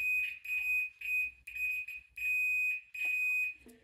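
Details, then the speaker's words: Multimeter on the Skywatcher EQ3 mount cable connector: repeated high, clean continuity beeps as the probes touch two pins that should be isolated, showing a short; the wires are moved to a new connector. "they've got continuity which they shouldn't have so therefore I'm going to transfer each of these cables onto their corresponding pin on this [Music] one"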